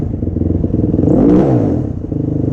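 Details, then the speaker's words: Yamaha YFZ450 quad, near-stock, after starting-circuit fix and replacing a too-thin leaking O-ring: quick, even single-cylinder thumping at idle with one clean rev blip and smooth return; sounds healthy. "Sounds healthy though. Let's take this thing for a little ripper."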